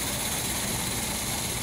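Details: Gold Del Rey, carbureted engine freshly restarted before the front is stripped for painting: a steady, even rush of engine noise with no knocks or misses, a normal idle.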